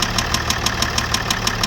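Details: Range Rover L405 Vogue SE 3.0L TDV6 diesel, bought cheap and possibly vandalised, idling with sharp even knocks about six per second: worn connecting rod bearing; metal particles in oil filter, petrol-contaminated diesel suspected, white smoke.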